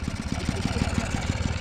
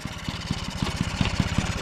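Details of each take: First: 1979 Yamaha QT50 moped abandoned about 35 years, new battery and carburetor, running wide open: uneven, lumpy two-stroke putter with no crisp pickup, bogging down; owner suspects flooded or lean, needs tuning. Engine bogging. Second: 1979 Yamaha QT50 two-stroke abandoned 35 years, after a new battery and carburetor, kick-started: quick even popping settling into a steady idle, roughly ten beats a second; it runs.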